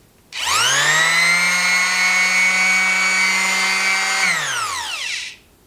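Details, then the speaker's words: Makita BO4556K 1/4 sheet finish sander, 14,000 orbits per minute, compared with Porter Cable 330 block sander: fast smooth spin-up to a steady buzzing whine, quick clean run-down when switched off; normal running. "Pretty dramatic. I really like the fact this shuts down quick, but you can also hear that porta cable is it certainly sounds more powerful."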